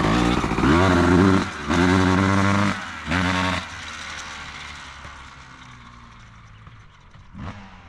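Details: 2003 Honda CR250R two-stroke, low fuel: three quick blips climb fast, then flatten and drop off before revving out, then coast down. Won't rev out at top end; owner suspects power valve adjustment or the engine loaded up.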